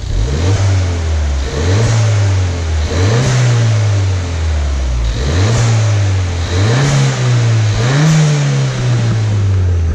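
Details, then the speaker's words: Ford Fiesta ST repaired after a crash, standard airbox and standard exhaust with a Scorpion sport cat, revved while stationary after a short test drive. Clean blips with a slight whistle and 'choo-choo', no misses or knocks: normal revving. "It's a little bit of a whistle, a bit of choo-choo."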